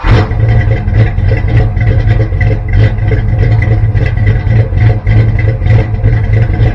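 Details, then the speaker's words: 1974 Dodge Charger V8 after sitting two years, after fitting a carburetor base gasket and spacer to cure the vacuum leak: steady, even idle with a deep low rumble, no misses, knocks or hunting; running well. "so i guess it runs pretty well"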